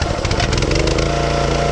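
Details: Wood splitter small single-cylinder engine that wouldn't start after running out of gas with hydraulics engaged, now running after freeing a stuck detent valve: steady, even fast rattly idle, then cut off; runs normally.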